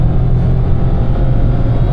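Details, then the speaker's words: 2026 Nissan Magnite turbo petrol CVT, quick run from 30 to 100 km/h: deep, steady drone pulling all the way to 6000 rpm with no misses or rattles. It reaches 100 easily; healthy high-rpm acceleration. "ये देखो, देखना कितना खींचेगा, देखो बिल्कुल एकदम 6000 RPM तक खींच गया।"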